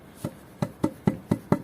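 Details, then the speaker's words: Concrete garden-house foundation left two days to cure in cold weather, tapped with a wooden block: crisp, dead knocks about three a second with no hollow ring. Foundation is solid and cured. "you can tell now that the foundations are solid you can hear that when tapping it with a piece of wood"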